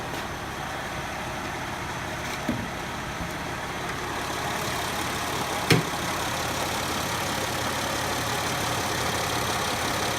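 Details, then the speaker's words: 2000 Mercedes ML320 W163, M112 V6, warm idle with A/C running, recorded close at the front of the engine: steady dry whirring rattle from a worn serpentine belt tensioner pulley bearing. "good evening this is my 2000 ML 320 got an engine noise on the front here all this air conditioners running it's just idling I've been driving the car let's get up closer listen"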